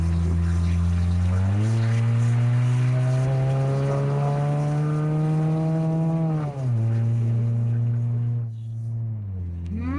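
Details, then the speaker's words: 2004 Honda CR-V (2nd gen), catalytic converter stolen: loud, raw, boomy exhaust roar rising and falling with revs, far too open; missing catalytic converter. "Could you imagine, bro, if you didn't know what it was? You would think your car's gonna blow up. If I didn't know what this was, I would think my car's about to explode, bro."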